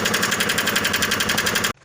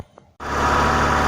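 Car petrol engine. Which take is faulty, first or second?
first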